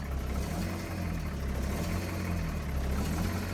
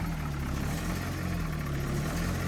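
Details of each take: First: Foretravel Grand Villa motorhome diesel, possibly a big Detroit V8, 50,000 mi, just started after sitting over a year, cold at about 50°F. Deep, steady rumble with an even beat and only a slight lope while warming. It runs fine. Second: Foretravel Grand Villa motorhome diesel, possibly a big Detroit V8, 50,000 mi, cold idle on a 50°F morning after over a year of storage. Slight rise and fall in the low drone while warming up: a mild lope.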